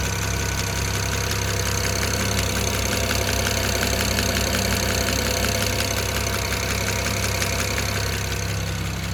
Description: Ticking noise at idle on cold engine(when oil temps are under 47 degrees celsius). When I raise the rpm's over 2000rpm or when the oil gets over ~47 degrees celcius the sound disappears completely.